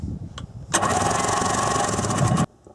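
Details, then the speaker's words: 1994 Sea-Doo SPX with water in the crankcase: a fast, light starter whir under two seconds with no compression beats. Spark plugs are out and the engine is spun repeatedly in short bursts, with compressed air, to purge the water. "I just had the spark plugs out and I ran the starter over and over and over again but not continuously because I didn't want to burn it up"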